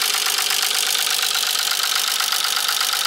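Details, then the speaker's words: Nissan 300ZX Z32 non-turbo, manual, at about 2000 rpm and nearly out of fuel, also misfiring: hard, clattery tick runs steadily through the engine like a diesel tractor, seemingly from the middle; knock of undetermined origin. "like a diesel tractor and it's coming out with I think from here we're sounds like it's coming from the metalic tree looks like this knocking sound is coming from the middle"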